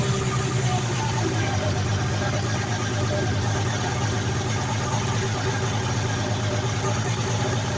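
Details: 1980 Arctic Cat Jag 3000 fan-cooled two-stroke snowmobile that sat for years on old gas, on a track stand in 90-degree heat: a quiet, even idle buzz with no stumbling or surging; a healthy idle.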